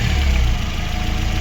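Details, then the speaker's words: Chevrolet Aveo 1.5 8-valve after cylinder head repair and head gasket replacement, idle while old antifreeze burns off in exhaust: deep, even, steady rumble, no knocks or misses; running normally. "Ось так от муркоче наш двигун. В принципі, готова на віддачу."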